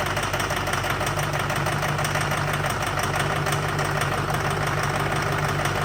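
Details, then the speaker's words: Duramax diesel with dual CP3 pumps, on start-up after finishing work: steady idle with a hard, fast knock about three times a second; owner suspects one of the CP3s or an injector, not confirmed; dual fueler controller has power. "man it sounds horrible that loud knocking noise is coming from one of the two CP3s or one of the injectors"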